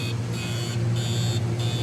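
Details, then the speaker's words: Multi-compressor production chiller running warm for plastic injection molding: steady low plant hum with a high beep cycling about every half second, compressor alarm; suspected low-pressure switch cut-out at 32 °F or temperature trip, not confirmed. "Probably tripped out on temperature a bit. Says compressor, don't know what that means without looking it up."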